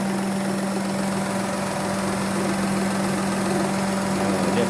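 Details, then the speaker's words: Perodua Viva with constantly high RPM and oil leak, running after sensor checks: smooth, even idle with steady low hum, no knocks, misses or hunting; cold start at about 1100 rpm dropping slowly, considered normal. "Kalau sejuk, kita start dia tinggi sikit sini 1100, terus dia turun sini pelan-pelan. Nah, jadi itu kira normal."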